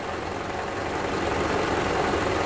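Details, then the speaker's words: 2012 Toyota Camry 2.5L 2AR-FE idling in drive with brake held and AC on: a coarse rattling drone under low rpm and load, varying with engine temperature. A stethoscope pinpointed it to the balance shaft. "then you start hearing the hearing the rattle depending on how hot the engine is and if the if there's a load like the AC's being on"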